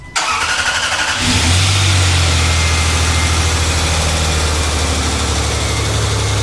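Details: Three-door Land Rover Freelander, about 125,000 miles, cold start in snow after cooling system refill following coolant loss: starter whirs about a second, engine catches and settles into a steady, even idle with no stumble; clean start.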